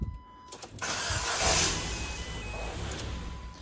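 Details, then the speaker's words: Ford Fiesta Titanium 1.4: harsh scratchy screech over cranking before the engine catches; worn starter motor grinding as it engages, not yet failed. "those of you know in the know that is the starter motor it hasn't actually completely gone because the car starts obviously um but it's starting to screech and scratch"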